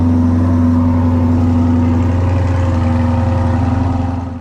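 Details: Steady, even V8 idle with a deep low rumble, no knocks or misses, from a rebuilt 2020 Corvette C8 Z51 after a year apart; runs cleanly after refilling coolant, fixing a disconnected ground and fitting a new battery.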